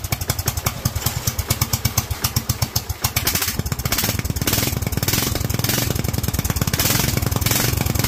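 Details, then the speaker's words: Kohler single-cylinder engine with Honda carburetor, idle set around 1000: thumps along happily at idle, then revs hard with a ragged, crackly top end, leaning out badly at high rpm. "all right as you can hear it is leaning out insanely at the top end now it did idle it was actually really happy on the idol"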